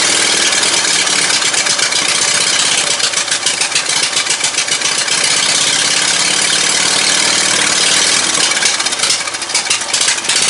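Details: Ride-on mower "John Man" with newly swapped 22hp 670cc Briggs & Stratton V-twin (replacing a 12.5hp Kohler single), Yamaha V Star dual exhaust on custom headers: loud, steady, lumpy even idle, no misses or knocks; running healthily.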